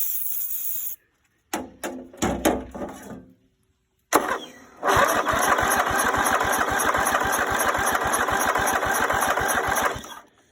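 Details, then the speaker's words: Greenfield Model 11 ride-on mower with Briggs & Stratton 11hp, first start attempt after sitting 5+ years, starting fluid used: short starter bursts then steady chugging cranking about four beats a second that never catches; cranks but won't start. "Nothing on the first go. We'll give it another crack and see if she goes. Otherwise, I might have to play around with the Carby a little bit."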